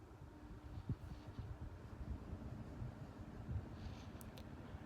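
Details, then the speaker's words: Honeywell 12-inch desk fan, circa 1999–2004, on lowest speed: soft steady low hum, very quiet, no ticking, rubbing or wobble; running smoothly. "is very, very quiet. That's not bad. So that's the lowest speed setting."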